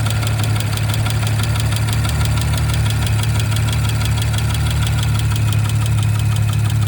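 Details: 2019 Audi RS5 B9 at idle: light ticking about twice per second over smooth steady idle; source unknown.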